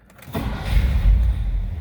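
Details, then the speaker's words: 1957 Mercury Turnpike Cruiser with push-button automatic, parking brake on: short crank, then the engine catches at once and settles to a smooth, even idle at about 600 RPM on the tachometer. Normal start. "Just like that. As you can see, the tachometer even works. Look where she's idling at about 600 RPM. Nice and smooth."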